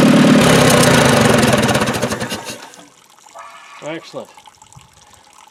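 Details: Dozer T4 engine, first brief run after rebuild and reinstallation, with ignition timing set, head re-torqued and valve gap set, and no coolant yet: it fires with an even, steady beat for a couple of seconds and is then shut down, with no knocks or misses.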